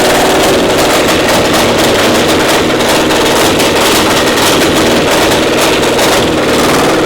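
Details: Twin-cylinder pony (starting) motor of a Caterpillar Diesel 70 under restoration: loud, lumpy, uneven beat with firing pulses dropping out irregularly; misfiring, running on one cylinder with the other only catching occasionally, spark plug suspected.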